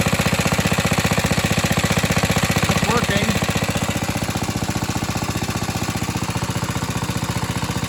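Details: Atco Suffolk mower, small single-cylinder engine, after choke removed and clamp refitted: fast, even, steady firing beat with no misses or knocks; normal running.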